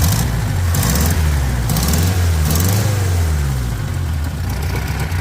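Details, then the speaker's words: 1972 Toyota Corolla TE28 station wagon after replacing the mechanical fuel pump and lowering the carburettor idle: deep, fairly even idle with a steady low throb and no misses or knocks; running better, normal idle. "ah can't turn it well I mean it's definitely running better cuz the fuel pump's not"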